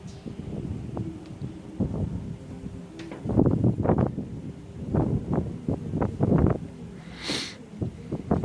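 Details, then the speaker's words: Fiat Polonez gearbox with uneven heavy clunks about every half second, starting right after clutch release on a -30° cold morning. An input shaft bearing was suspected, but a chipped gear tooth was found catching as it meshes. "думаю видно скол зубца получается когда он входит в зацепление она об и упёрлась думаю слышно об вот он"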